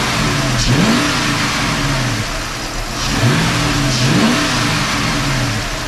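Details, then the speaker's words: Dodge Charger 5.7L Hemi V8 revved twice from idle after new serpentine belt, idler pulleys and tensioner; faint thin squeak still present, owner wonders if it comes from the airbox; belt-area squeak not cured. "I still hear it squeaking a little bit no maybe the sound is the uh hcut airbox cuz listen I can still hear it the squeak is still there"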